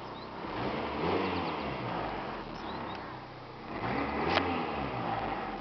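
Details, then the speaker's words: 1995 Toyota Corolla DX exhaust while revving: two rev-ups swell and fall back with a coarse, raspy roar from the tailpipe. It is louder than it should be, and a bystander asks whether the muffler is cracked. "Alrighty, now let's go ahead and see how she revs. Gotta love that sound."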